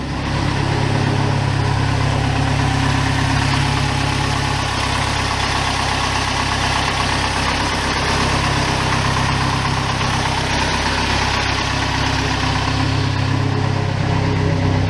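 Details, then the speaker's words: 1987 Toyota pickup 22R-TE turbo, cold just after start: deep slow idle rumble wavering, dropping from about 1000 to just below 500 rpm; idle very low, owner unsure whether normal, later slightly loping when warm. "so right now it's right right about a grand and it usually slows slows down just below 500 idle's really low I'm not sure if that's normal noral or or what"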